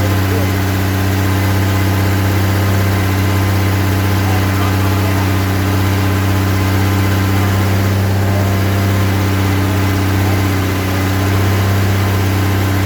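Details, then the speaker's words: Rebuilt 230 six-cylinder on first start, cam break-in at fast idle about 2000 rpm, 40 psi oil pressure, 180° temp, timing about 10° advance; smooth steady running, no lifter or top-end ticking, no smoke; healthy. "all right we we're breaking in the cam right now it's running really good sounds good no ticking"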